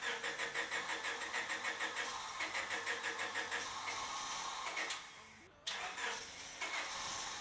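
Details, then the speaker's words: Honda Civic EK hatchback that sat five years, after swapping in a junkyard IACV for a surging idle: long even cranking about three pulses a second before it catches; hard starting persists, owner suspects a fuel filter clogged by tank debris. "all right so it still had a lot of trouble starting i'm thinking that the fuel filter is kind of pretty clogged up with all the crap that's been coming out of the fuel tank from the car sitting for five years"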